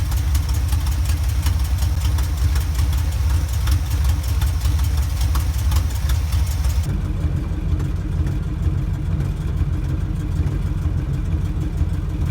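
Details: 1977 Chevy K10 truck, 350 small block V8, after welding the cracked header and fitting new gaskets: steady, deep idle rumble with no puffing or ticking from the exhaust manifold.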